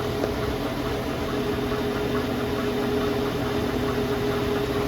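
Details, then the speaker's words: Porsche Cayenne / VW Touareg (2011+) driveline noise in the vehicle's center above 27 km/h: a steady rumbling drone with a faint hum, confirmed on a lift with a screwdriver as a bad driveshaft center support bearing (7P0598101), replaced. "so confirmed this bearing in here is bad"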